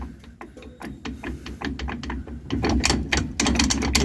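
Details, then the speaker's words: 2006 Nissan pickup with a loud rear noise while driving: driveshaft rocked by hand gives irregular sharp clicks and clunks from the failed universal joint at the differential yoke; the three U-joints are to be replaced. "Como pueden ver ya no está cruceta del lado del del diferencial del yugo ya no sirve"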